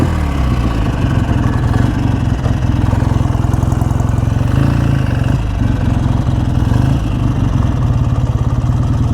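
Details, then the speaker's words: BSA A10 650 Super Rocket twin with electronic ignition, idling during a carburettor tune-up: steady but fairly lumpy, slightly uneven thump. Rich or lean is asked but not settled; possibly running rich. "what is it running rich or lean do you think"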